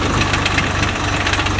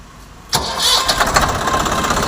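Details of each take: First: Swaraj 744 FE tractor, gearbox noise in all gears and at idle, worse under field load: rapid regular knocking ticks over the running drone, unchanged from gear to gear. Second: Swaraj 744 FE tractor after gearbox repair with new parts for an all-gears noise: starts, fires and runs steadily with no whine or gear clatter; all gears checked on road trial, no sound, healthy.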